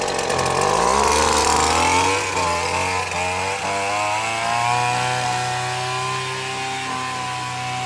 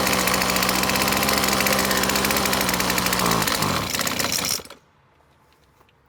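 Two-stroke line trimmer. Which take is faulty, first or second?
second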